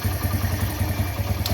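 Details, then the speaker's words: Old-model Bajaj Discover after carburetor mileage setting, air screw opened slowly for best mileage; even, steady single-cylinder putter at low idle, no misses, knocks or hunting; idling properly. "तो देख लीजिए bike slow के अंदर proper start है।"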